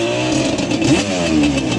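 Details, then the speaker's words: Yamaha Banshee two-stroke, warm, ridden. Uneven stumbling revs with ragged popping and sputter at low rpm, slightly better at higher rpm, with a miss. "in the low RPM. Now, once it gets up in the RPM a little bit, it does seem to run just a little bit better. You can hear there's like some type of miss or something going on with this thing."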